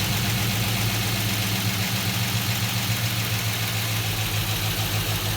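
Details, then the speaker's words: 1966 Chevelle with an LS swap, fly-by-wire, just started: a steady, even V8 idle at 650 RPM with a smooth low burble and audible fuel injector clicking, no knocks or misses; normal idle. "right down to an idle of 650 RPM right away."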